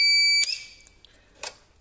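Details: TBE 2000 W pure sine wave inverter (4000 W surge) on a 200 Ah battery, starting a 900 W circular saw: shrill steady alarm tone cuts off abruptly; inverter shutting down on overload.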